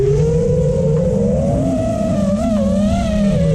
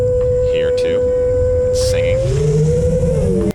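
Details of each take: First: FPV quad after adding static notch filter (about 465 Hz center, 445 Hz cutoff) to cure loud mid-throttle resonance howl: smooth steady motor hum rising and falling with throttle, no howl or oscillation; normal smooth flight. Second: FPV quad without gyro low-pass filter and with relatively high PIDs: loud, pure tuning-fork tone near 500 Hz, bending with throttle through a turn, mid-throttle motor resonance; fixed with static notch centered 465 Hz, 445 Hz cutoff.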